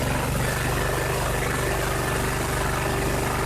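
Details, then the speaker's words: 2001 Cub Cadet 3184 tractor, Kohler CH18S 18 hp OHV engine, 848 hours, revs raised to test a new voltage regulator's charging at 14–15 V: steady, even drone with no knocks or misses; a healthy engine at raised rpm. "I'll ramp up the RPMs now and get that alternator pumping, see if it'll still clamp down on the voltage."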